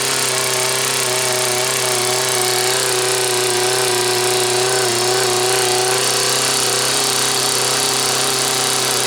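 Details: Homelite Waterbug P100 water pump, test run with water in it: an even, high-revving two-stroke buzz held flat at full throttle by the governor, with no misses or surging. Runs healthy.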